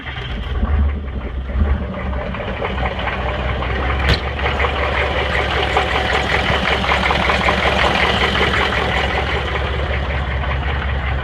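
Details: 6.5 diesel truck engine misfiring, running rough with an uneven, stumbling beat; lift pump working, oil pressure reading 20.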